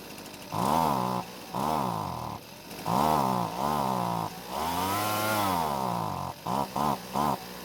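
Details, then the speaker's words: Husqvarna two-stroke leaf blower started without choke: short revving bursts that rise, sag, stumble and cut out on the trigger; the carb overfuels at startup, then can't deliver enough fuel under throttle. "well we've got quite the situation with the carb first off it seems like it's giving too much fuel to the engine on Startup but after that it's not able to deliver the correct amount of fuel when squeezing the trigger either"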